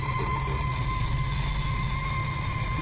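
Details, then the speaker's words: Volkswagen Polo petrol GT TSI turbo, faint steady high-pitched whine under dashboard right of steering with key off; stops when body control module connector is loosened, returns when refitted: faulty BCM, replaced. "सी सी का आवाज़ आ रहा है, right side से ही आ रहा है। तो मैं एक बार इसका BCM है, ये BCM है इसका।"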